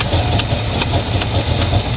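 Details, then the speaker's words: Carbureted engine at idle, leaking fuel from a throttle blade seal: rhythmic puffing hiss about twice a second over a rough rumble; suspected vacuum leak, not confirmed. "not quite sure what that noise is that sounds like a vacuum leak or something"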